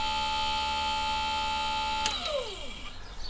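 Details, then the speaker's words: Campervan Propex heater fan motor after strip-down and repair, bench-run on low drawing about 1.3 A without fan blades, mic close: steady smooth high-pitched hum with no rattle, winds down cleanly; motor repaired and healthy. "So just got to hope it's spinning the right way. But it's running really, really smoothly. I think you can probably hear that if I get the mics close."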